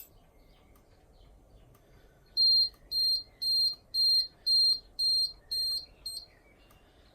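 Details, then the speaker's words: Monthly test of a household fire alarm system, call point in the room activated: control unit goes into alarm with eight sharp high beeps about twice a second over a quiet room; alarm sounding properly. "And now we will check one of the call points. Just the one in my room. And we'll see the ASC unit go into alarm."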